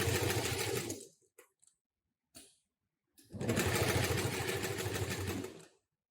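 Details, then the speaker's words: Model 733 industrial sewing machine with Canine HM-750T servo motor and KY9 needle-position synchronizer: two bursts of fast, even stitching about three stitches per second with clean stops; needle stops in upper position automatically, normal. "you can see every time stop so the needle stops in upper position automatically so you can take out material directly at end of sewing"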